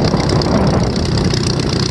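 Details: VW Type 1 engine's first run after fitting new valve adjustment screws: short stretch of even, steady idle with a low, regular beat and no stray knocks or ticks.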